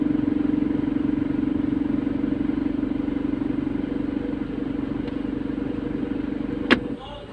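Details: Recently repaired car in drive position idles with a fast, buzzy metallic rattle over the engine hum; a missing bolt was found, and refitting it fixed the rattle.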